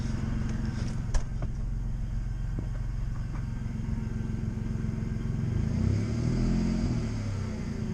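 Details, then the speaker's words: Audi A4 after coil pack replacement: a steady, even idle and a clean rev blip with no misfire, a little smoother than before. The failing power steering pump is also audible. "Not bad. Actually, it does kind of feel and sound a little smoother."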